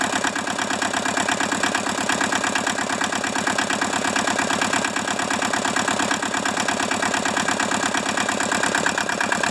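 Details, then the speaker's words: Hinomoto tractor diesel with clattery, slightly uneven, harsh idle just after a cold start in the 40s °F; previously stuck engine, one cylinder hitting better; owner suspects low compression, half-working glow plugs or injectors, cause unclear. "that was a cold start like i said this thing may be down on compression we don't know um glow plugs could be half working or you know our injectors may not be spraying well"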